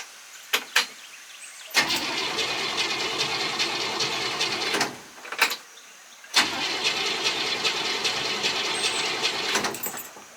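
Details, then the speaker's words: Aunt Buck, carbureted with no choke, cold start after sitting about two weeks, gas pedal pumped several times: two long bursts of cranking, never catching; owner suspects it's flooded from too many pumps. "that's not good pop the hood and see what's going on come on she trying maybe a little flooded maybe too many pumps"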